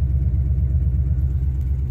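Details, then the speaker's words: V8-swapped Ford Ranger after fuel system upgrade (Walbro 255 in-tank pump, in-tank regulator removed, kinked feed line fixed) and new tune with updated injector size flashed: first start on new tune, low smooth even V8 burble, steady idle without misses or hunting. "okay it starts and runs so this should be my tune now"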